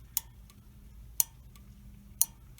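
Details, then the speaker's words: Honeywell gas valve on water heater, pilot valve pin energized during testing: crisp single clicks about once a second in a quiet room; pilot solenoid opening normally (fault was the failed control board). "that pilot valve is opening up and working so now we're going to test the main burner valve and you'll hear the same thing if it's working it will click you'll hear a clicking noise which is that valve opening up"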